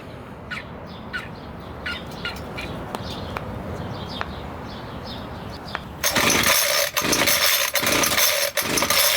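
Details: Homelite 26cc two-stroke mini tiller, sat outdoors for years, after carburetor and fuel tank cleaning with fresh fuel: a few light clicks, then it fires and holds a loud, steady high buzz; running normally.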